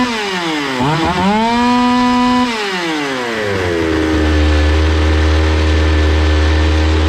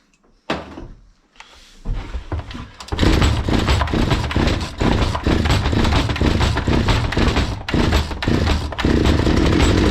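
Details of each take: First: Zomax 5020 two-stroke chainsaw after carburetor cleaning and mixture screws closed then reopened; revs up, drops back cleanly to a steady even idle without stalling or hunting. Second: Zomax 5020 two-stroke chainsaw, not running; on starting spray it catches, revs raggedly with wavering pitch for several seconds, then dies. No fuel is reaching the carburettor.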